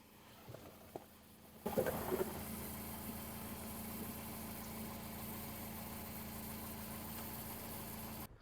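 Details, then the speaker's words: Used car with broken motor mounts and wiring faults: the engine idles steadily with a faint uneven rhythmic noise underneath, about three beats a second, heard from below the car; it sounds pulley-like, but the source is unclear (maybe the AC). "It sounds almost like a a a pulley, like a motor like, but it's not."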